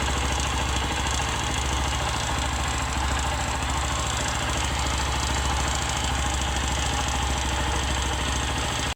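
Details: 150 cc motorcycle single-cylinder, engine rebuilt 1.5–2 years ago (new con rod, cam chain, tensor, head done, original cylinder): steady idle with fast even light knock each firing stroke, appears when warm; piston suspected, confirmed only by disassembly.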